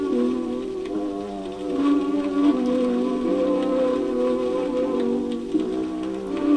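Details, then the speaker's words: Seabreeze Model 968 record player playing a record whose grooves sit off center. Music pitch wobbles sharp and flat once per turn. The wow comes from the off-center record, not the platter speed. "So the wow is because the record is off center, and even though you know, the speed of the platter is the same, as the record goes off center, when it's farther out here, more of the record passes under the needle in a given period of time than further inside"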